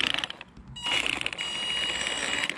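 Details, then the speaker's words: Maverick Phantom XT 1/10 RC monster truck after hitting a big stone while running on sand. A high motor whine with rough, ratchety grinding bursts as it spins up comes from the gearbox/spur gear, likely from a stone caught in it. "definitely sounds like it's coming out from the gearbox bit there might be the spur"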